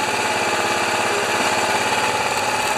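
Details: Engine-driven generator after carburetor work with Q-tip and valve grinding compound, started on choke: small engine runs steadily at constant speed with an even buzz, no surging, then cuts off; sounds healthy.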